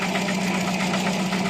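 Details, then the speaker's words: Older carbureted project car after a full carburetor service for rough idle and hesitation: steady idle with a faint tapping but no hunting or stumble, more stable than before, with better throttle response; smoother idle. "This is how it's running. It's more stable. Throttle response feels better. It doesn't hesitate like before."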